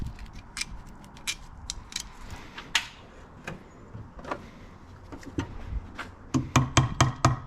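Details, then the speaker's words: 2006 Honda CBR600RR engine run before teardown: sharp, uneven metallic clatter building into hard regular knocks about three per second as it revs; thrown connecting rod, cylinder number 2, yet it still started and ran. "That doesn't sound good. Oh, we lost a fucking rod."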